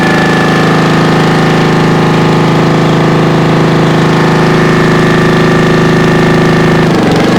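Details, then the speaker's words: 1996 Brave log splitter engine, about 30 years old and thought seized, started after carbon burn-off and a premix primer shot: a steady, even single-cylinder beat with constant tone and no misses or knocks; normal. "but uh that's good it runs I guess I don't have to worry about that"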